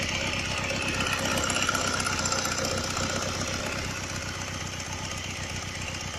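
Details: Honda Rebel 125 after a cylinder and piston replacement: a quick, even, crisp ticking at about four per second over the idle. Owner suspects a loose camshaft chain and hopes it is not the piston; engine ticking noise.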